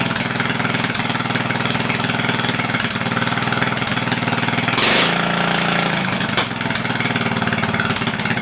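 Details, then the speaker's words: Massey Ferguson lawn tractor single-cylinder, advertised with a blown head gasket, first start: loud, fast, uneven popping with sputters, smoky. Owner suspects the carb is puddling, letting fuel drops in instead of a mist. "So it does run. Sounds like the carb is puddling, or it's allowing drops of fuel into the engine instead of a mist."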